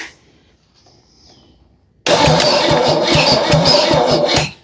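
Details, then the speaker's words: 1963 Jeep CJ5, long disassembled, crank test with test light on ignition: about three even starter chugs a second that never catch; no spark because the ignition points are dirty and need cleaning. "Shocker. Shocker. Our points need cleaned up. Okay. It's not blinky blinky."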